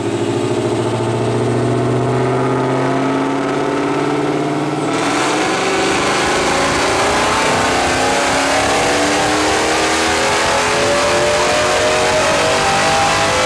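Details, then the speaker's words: Mercedes E63 with prototype supercharger kit, stock cams, VRP head studs, full-throttle dyno run after 10-minute cooldown; pitch climbs smoothly with loud exhaust and no supercharger whine; healthy pull, almost 600 wheel hp, 650 lb-ft. "Yeah, the exhaust is a little louder, but still, there's no whine whatsoever. That is so weird."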